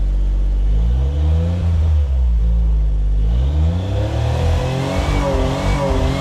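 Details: Suzuki Cara/Autozam AZ-1 with phantom rev limiter, tested after distributor cap and rotor replacement: revs climb then repeatedly cut back sharply as if hitting a limiter far too early; fault persists, cause unknown.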